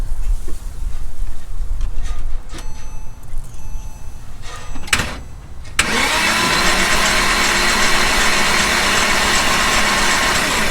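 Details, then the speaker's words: 2005 Porsche Boxster S 987 with 50-something thousand miles, cranked with the spark plugs out to check for rod knock. The starter spins it freely with an even, steady whirring churn and no knocking beats. Normal cranking, no knock. "Guys, did you see anything? Because I saw nothing, and I didn't hear any like rod knock noises."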